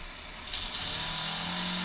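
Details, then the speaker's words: Cheddar Pintail live steam unit, about 2 cc, first test at low pressure under 1 bar: steam hiss builds into a fast, even beat that settles and holds steady; runs superbly, not yet adjusted. "voilà c'est qu'en fait il la course il marche formidablement"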